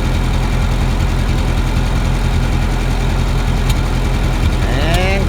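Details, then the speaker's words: 1952 Ferguson TO-30 tractor with Continental Z120/Z129 four-cylinder, before rebuild: ticks over at a low, steady, even idle with no knocks and sounds good, but is starting to smoke, getting worse; good oil pressure, water pump known bad. "see it sounds good it is starting to smoke a little"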